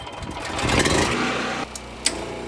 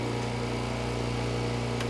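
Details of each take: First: Heat pump compressor (9 A running) on generator: engine labours and bogs under surge, clunk as power drops, 31 A, 84 A peak; compressor stalled, never started. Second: Heat pump compressor with 6-ton Soft Start Home, on generator power: generator hum holds steady as compressor starts smoothly, no bogging; 18 A inrush, 44 A peak, normal start.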